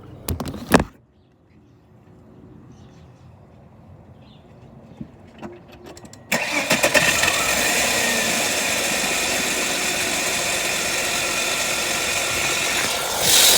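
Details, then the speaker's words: 1998 Volvo V90 catching and settling to idle with a steady piercing metallic screech from the rear top end near the cam; adding oil when low changed the noise, valve suspected, not confirmed. "so it's definitely coming from somewhere back here uh originally when the noise was first happening it sounded like just straight metal on metal"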